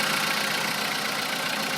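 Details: Volkswagen Polo sedan engine at cold start around 10 degrees, steady even idle with a smooth hiss, previous metallic cold-start knock now mostly gone, only an occasional faint sound; engine sounds healthy after owner's fix involving ignition coils.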